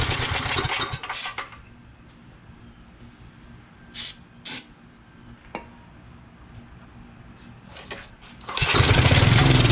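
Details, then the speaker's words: Roadside-found generator after new spark plug, fuel filter change and carburetor cleaning: bursts of pull-cord cranking with quiet gaps, never running; cranks but won't start, acting like still no fuel, cause unconfirmed. "So we've changed our spark plug, changed our fuel filter, cleaned the carburetor, and it's still being stubborn."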